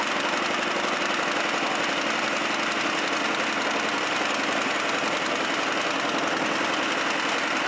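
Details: Chinese walk-behind track dumper (self-propelled wheelbarrow) bought broken at auction, untouched, started within two cranks after checking oil and gas: small single-cylinder engine settles into a steady, even idle with no misfires or knocks; healthy.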